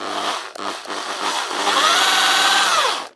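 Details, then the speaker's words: Old Ozito variable-speed drill unused for a long time: a few blips, then a steady even whine winding up and coasting down smoothly with no rattle or grinding; good torque, grease possibly a bit dry; runs healthy. "yeah it's got a fair bit of torque I think it is just the grease is probably a bit dry but it'll do for a just a a basic drill around the place yeah sounds all right"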